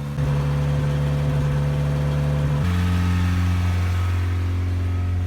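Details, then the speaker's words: 1987 Toyota pickup, 22R engine, 5-speed, 177k miles, sitting six weeks, cold morning start warmed 10–15 minutes; steady, even drone that steps down in pitch but stays fast for a warm engine; idle still running high. "It’s been warming up for like 10 or 15 minutes now… and it’s still idling really high."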